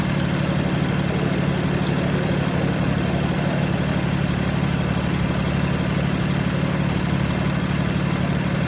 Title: BMW F80 M3 Misfiring.. #shorts #bmw #f80m3